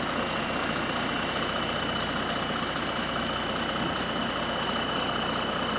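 Steady diesel idle with a rapid puffing beat, about two and a half per second, over a faint high whistle; an exhaust leak.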